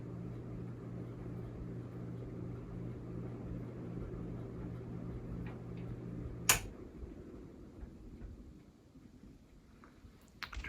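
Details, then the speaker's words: Hampton Bay Quick Connect ceiling fan, quiet on low: on high speed a steady low hum with even tones around 100–200 Hz; motor humming. "now it's starting to hum a little I don't know if you guys can hear that it's also making a very slight ticking noise not sure what that's all about here we are on high it's definitely humming now"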